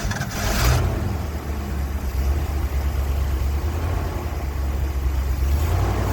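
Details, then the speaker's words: 1980 ramp truck, 351M V8, idling after ~25 years sitting: deep, steady rumble with even beat, no knocking or ticking; almost 80 psi oil pressure, which owner finds concerning, but running pretty good. "I don't hear any ticking or clicking. It has almost 80 pounds oil pressure, which is concerning, but it's running pretty good."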